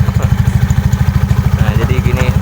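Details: Yamaha Mio carburetted scooter with 150cc CVT setup and Mio M3 pulley: even, rapid single-cylinder putter with no clicking from the drive; normal idle.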